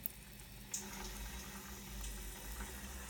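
Steady rushing hiss with sputters and gurgles as water drains out: trapped air bleeding from the heating zone line.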